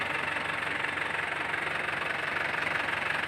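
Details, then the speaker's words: Isuzu Panther LS 2008 diesel; steady, even idle clatter about three beats a second, no misses or knocks, and a hand on the body feels no vibration; healthy, ready-to-use engine. "ini boleh lihat ah sedikitpun tangan saya tidak bergetar saya sentuh"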